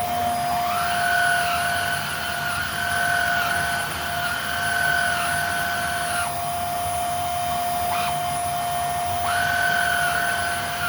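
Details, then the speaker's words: Older Hoover Air Steerable upright vacuum running: steady high motor whine with a rough edge from dry motor bearings, plus a gritty gravelly tone when the old brush roll engages, before belt and brush roll replacement. "So the motor in here definitely has dry bearings. You can easily hear it. But the brush roll, when you turn it on, it kind of has a kind of a gravelly, kind of noise."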